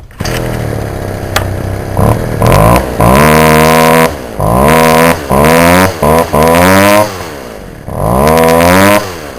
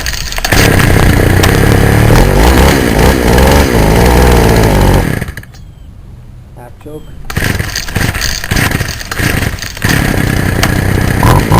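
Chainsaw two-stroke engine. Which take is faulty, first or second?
second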